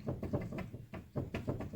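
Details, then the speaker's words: 2009 Saturn Vue jacked up, front tire held top and bottom and rocked in and out by hand; sharp hollow clanks about five a second from play; front wheel bearing is loose and bad, to be replaced. "Pull It in and out so you hear that clanking that means the wheel bearing is bad she's Loose as a Goose in there just flopping around pretty much"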